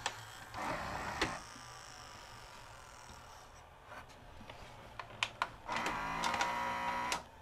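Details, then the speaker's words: Sharp VC-H972 VHS VCR bought new around 1996-97, unused about 20 years, after freeing the stuck tension band: two bursts of thin, noisy loading-motor whirring, load cycle not completing; loading motor suspected slipping. "Loading motor is noisy. Let's give it another try. Oh, finished that time. Not quite. Maybe the loading motor is slipping."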